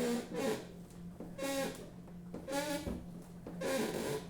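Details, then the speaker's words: Honda Civic EG hatchback, new hood bent after it flew open hitting a manhole: four drawn-out squeaky groans as the hood is slightly opened, metal flexing and rubbing. Hood pins are being fitted. "that is not the noise you want to hear from a new hood"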